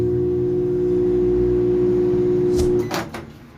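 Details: Philco PMS24 microwave that powers on but does not heat, running with a heavy, steady electrical buzz, the sound of a magnetron shorted to its case; loud transformer buzz.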